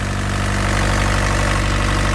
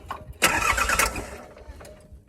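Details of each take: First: Mini excavator diesel after changing fuel filters and bleeding air from fuel and injector lines, previously choking out: steady, even idle with smooth low thrum, no stumbling or misses; normal diesel idle. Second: Diesel mini excavator after running out of fuel and changing both fuel filters: two short cranking bursts without catching, turning the engine over to purge air from cracked-open injector lines.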